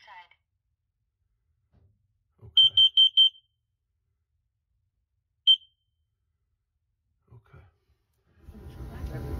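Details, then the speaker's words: Burnham IN4 105k BTU gas-fired steam boiler with cracked cast-iron heat exchanger and pilot out: sensitive carbon monoxide monitor gives four fast shrill beeps, pause, one beep, alarming on fumes during combustion check. "तो यह एक बहुत ही संवेदनशील carbon है monoxide monitor"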